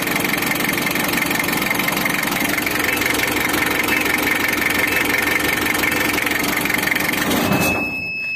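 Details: Freshly overhauled Mitsubishi L300 diesel first start, radiator cap off and water pump not fitted to check head gasket: crisp even clatter, no misses, until switched off; normal idle.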